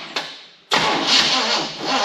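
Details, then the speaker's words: 1974 Chevy K20 small block, first start after sitting outside for years: catches after a short crank and settles into an even, clean run with no misses or knocks once ignition timing was corrected. "that sounds good actually sounds pretty clean for as little as it ran"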